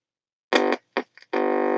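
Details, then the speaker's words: Aristone/Onkyo stereo record player after home-rewound audio transformer, powered up to 230 volts: bursts of clear tone then a steady buzzy note, no crackle or hum; both channels working, about 75 volts measured, no smoke — normal amplifier output. "Listen to that, guys. We've got audio. That's working."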